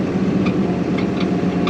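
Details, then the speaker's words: Kubota Grand L3560 cab tractor moving while pushing snow; irregular faint high creaks over a steady low diesel drone, the cab seat creaking as the tractor moves. "hear it creaking? That wears me out. That creaking, and that's the only thing I dislike about this Grand L cab."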